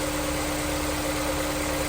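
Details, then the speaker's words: Honda S2000 repaired for a misfire and check engine light, after the injectors were cleaned: a steady, even idle hum with no misses, knocks or pops. "It sounds nice and smooth."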